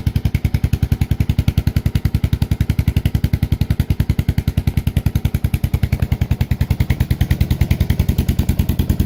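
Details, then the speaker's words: Suzuki S40 Savage single-cylinder, not started for a few days, cold start on choke; evenly spaced thumps at a brisk choke idle with no misses or clatter: normal cold start. "this thing hasn't been started in a few days see it's cold just gonna start it up pull the choke down"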